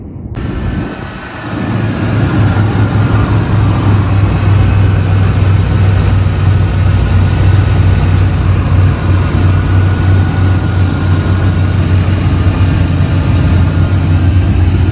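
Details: 1991 first-gen S10/Sonoma pickup, 97,351 miles, mostly factory, cruises fine but lacks power: deep, even idle hum, steady with no knocks, ticks or stumbles; normal idle.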